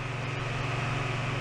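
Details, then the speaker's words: Fan running on high from the repaired Schumacher SJ1332 jump starter's modified sine wave inverter, drawing 29 watts: steady low hum and even buzz, blowing strongly, no rattles; normal running. "And I'm sure you can hear it blowing up a storm. And you can see the blades turning."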